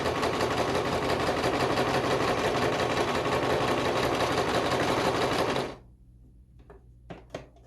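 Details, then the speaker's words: Sewing machine after bobbin tension adjustment, test-sewing t-shirt material: quick, even needle clatter about three stitches a second, smooth and steady; stitching came out fine with no thread bunching underneath. "Looks like it did pretty well. We don't have any bunching."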